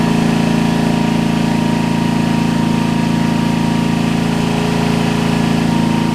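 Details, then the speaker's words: Homelite LR4400 generator after carburetor replacement, under load: a steady drone with a slight rise and fall in pitch as the governor hunts, letting revs race then sag; the governor is slightly out of place and needs adjustment. "They can just barely get out of place, and they'll start screwing up like that, where they be racing and then they would drop a ton of RPMs, and so that's what happened with this one."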